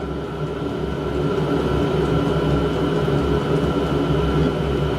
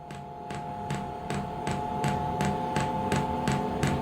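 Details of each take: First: Diesel heater on a home test bed, switched off at the control panel: the fan hum and burner rush slow down through its shutdown purge cycle, which the owner believes clears soot. No knocks or rattles; a normal shutdown. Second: Diesel heater on a home test bed before boat installation, first start attempt: the fuel pump ticks sharply about every 0.4 seconds over a steady fan hum while priming, with fuel visibly rising but no ignition yet.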